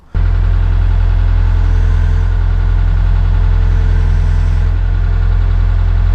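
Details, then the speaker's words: Old Hitachi UH043 excavator diesel, abandoned 16 years: deep steady idle, regular unbroken beat, no hunting or missing. "the perish bit is gone now and um reprimed it and uh it's good again and managed to get it going again."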